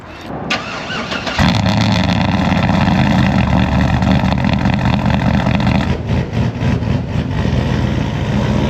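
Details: 2012 Chevy Silverado 1500 with swapped 6.0L LY6 V8 and BTR cam, cold start: starter whirs, engine catches into a lumpy, loping cold idle with a faint ticking puff, consistent with a small header leak.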